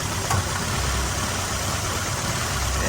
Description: 4cylinder Nissan Altima misfires due to leaking valve cover gasket